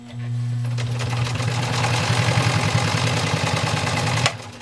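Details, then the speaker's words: 1919 Singer 66 "Redeye" sewing machine after servicing, hand-started, sewing through 4 layers of heavy denim. Fast, even needle chatter over a steady motor hum that doesn't bog down. Normal sewing. "All right, wow, that was really not even a challenge."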